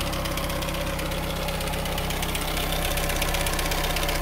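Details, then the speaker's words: 1997 Chevy S10 at steady idle, noise worse as it warms: quick, even metallic rattle about four a second, diesel-like; timing chain slapping past a faulty chain tensioner, fixed by replacing the timing chain. "all right guys as you guys saw our problem is the the chain tensioner the one that is making all our noise"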